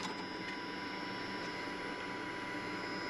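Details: Mazda RX-7 FD rotary, new Walbro 450 fuel pump after rebuilt fuel system, engine off, fuel pressure 43 psi against about 40 psi base target: steady even electric hum with faint high whine, no surging or rattles; pump healthy.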